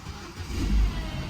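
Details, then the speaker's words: Cheap vehicle, started on a battery pack on the trailer: just after the cold start it runs poorly, lumpy and surging, revs swelling and sagging; consistent with a burned exhaust valve. "Success. It is running pretty poorly, as you can tell. You can hear it surging, but I am stoked."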